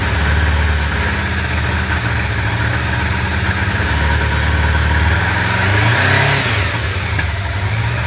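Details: 1995 Honda CB750 Nighthawk: uneven, lumpy idle and a flat, stumbling rev, running on three cylinders; misfire because cylinder #4's carburetor jet is clogged.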